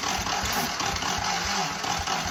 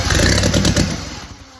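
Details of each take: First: Original 1943 WWII Willys Go Devil jeep engine, not run in decades, first start attempts while making adjustments after backfiring: uneven cranking with a few catching firings and starter grind, then turnover slows and dies as the battery goes flat. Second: Original WWII Willys Go Devil engine, first runs after decades, after a backfire: fires, snaps into a quick sharp rev and settles cleanly; owner thinks ignition timing is close, sounds right.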